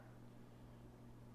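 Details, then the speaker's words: Akai X-1800SD reel/8-track deck, reel selected, first play test: faint steady low hum with even soft motor whir, no scraping or flutter, VU meter lighting; capstan not yet contacting pinch roller; running normally. "Making sounds that it should. We got a light on the VU meter. That's good."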